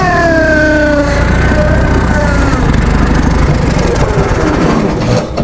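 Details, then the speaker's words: Vintage Hydra-Mac mini skid steer after cleaning ignition points: engine fires and races fast and unsteady, never settling to low idle; throttle sticking open; high idle. "Cleaned up the points on this thing and it pretty much fired right up. Stayed running. It was idling real high."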